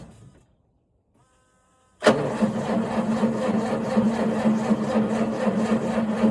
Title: John Deere 6910. No start on this frosty morning #tractor #coldstart #johndeere #farming #cold #fail